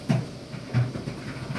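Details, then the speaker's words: Dryer from about 2006 after replacing the belt and idler pulley with a faulty bushing: low steady drum rumble with soft thumps about every 0.7 s and no squeak, good as new. "I'm going to say that is as good as new. Well, here, let me stop it for a second. I'm going to say that's good as new."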